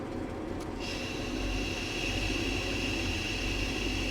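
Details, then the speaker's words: 1998 Chevrolet Cheyenne K2500 (OBS GM) engine idling, inside cab: loud persistent hiss as the brake pedal is pressed, with engine RPM fluctuating, from a leaking power brake vacuum booster seal. "All right, guys, if you come down here with the pedal, with the engine running, and we give the pedal a push, hopefully you guys can hear this vacuum hissing leaks out."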